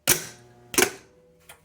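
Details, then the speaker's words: Delco 10MT Chevy starter on the bench, switched on with battery power: sharp metallic clicks with a brief ring as the solenoid snaps in and pushes the Bendix gear out; the solenoid works normally. "the Bendix is moving out. So this solenoid is doing what it's supposed to do."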